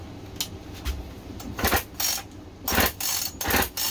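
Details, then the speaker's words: Husqvarna 55 chainsaw: irregular rasping recoil-starter pulls with no firing, turns over but won't start; zero spark even with a new kill switch; working coils, coil not suspected. "zero spark. Coils that work just fine now have zero spark."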